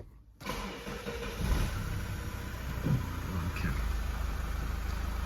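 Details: Mazda 6, 192,000 km, after throttle body replacement for P2118: starter catches cleanly, revs flare briefly then settle to an even, smooth idle with no odd noises; healthy start, live data actual matching desired.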